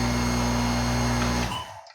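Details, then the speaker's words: Tuttnauer sterilizer water pump motor whose capacitor blew from a rust-stuck impeller; the impeller was soaked free and a 15 µF capacitor fitted. Steady low electric hum, then a smooth spin-down. The pump runs normally. "So ginamitan ko siya ng 15 microfarad. So ayan, gumana na siya."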